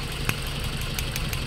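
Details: Toyota Altis 1.6 with severe engine vibration and no check-engine light, after two ignition coils and spark plugs were replaced and the injectors checked working. Uneven stumbling idle with occasional sharp knocks; one cylinder is dead, suspected lost compression.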